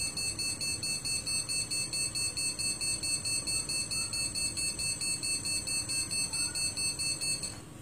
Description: During startup, the PC emits this series of short BIOS Beeps.